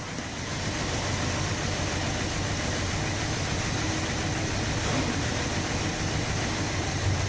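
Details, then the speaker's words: 1966 Chrysler New Yorker V8 after 18 years parked and a carb clean, warmed up with radiator warm, thermostat working, clutch fan off: even, steady idle with no misses, knocks or ticking; hydraulic lifters have quietened, normal healthy idle. "The old hydraulic lifters have quietened down, that's good."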